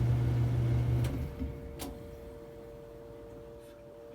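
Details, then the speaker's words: Samsung dryer DV45H6300EW/A3, 5 years old: motor hums about four seconds on any cycle, clicks off, and repeats with faint burning smell; motor switch was cooked and idler pulley bearing seized, requiring whole motor assembly replacement. "turn on the dryer it doesn't matter what cycle you're on press Start and I'll run it for four seconds and then shut off"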